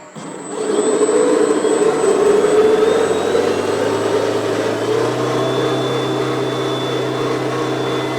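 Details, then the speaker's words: $20 gas snowblower converted to twin electric motors with belt drive, speed controllers and battery, first snow test: motors spool up to a steady whirring roar, hum steps up slightly under load and stays smooth; normal operation. "Okay, spooling up. Here we go. First test of the electric snowblower. That was so awesome."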